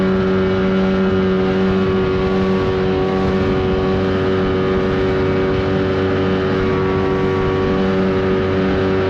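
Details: 1979 Evinrude 35hp outboard on the water after adjustments, with the air box left off for the run. A constant high buzzing drone holds steady speed without surging, popping or cutting out; pulling evenly.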